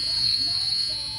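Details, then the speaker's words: Lionel CDV-700 Geiger counter after new corotron tube and rectifier replacing the selenium one: continuous high-pitched speaker buzz instead of clicks, persisting even with the GM tube removed; meter pegs, cause unknown. "see they're just buzzes if I remove the geiger Mueller tube and still does it"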